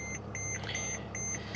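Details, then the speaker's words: Mercedes 320 CDI diesel, restarted after shutting off: evenly spaced electronic beeps, about five a second, over a low hum; the ESP unavailable warning chime returns. "ESP unavailable let's shut it off and see if that comes back on again"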